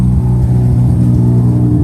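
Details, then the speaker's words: Rebuilt Mazda FD RX-7 rotary after fixing a bad MAP sensor connection, water temperature good: deep even rumble with no stumble, revs better, no longer sounds like one rotor; idling on its own. "because now it's running in quotations fine it revs better it's not like it's on one rotor you can hear it"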